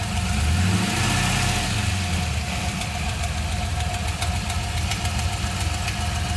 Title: LS1 clacking / ticking noise